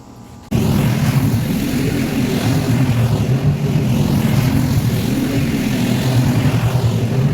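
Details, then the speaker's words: Mower on its second pass through tall, thick, wet grass: engine note sags and wavers in slow dips, wanting to bog down under the cutting load, so ground speed had to be slowed. "You could hear how thick and wet it is with how the mower was wanting to bog down, so I had to slow down a little bit."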